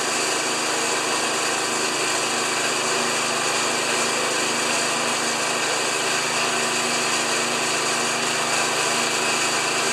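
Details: Old Briggs-powered lawn mower after replacing the thatcher springs and clearing a filter packed with fine dirt: a steady, even high-pitched buzz with no misses or surging. Normal, healthy running.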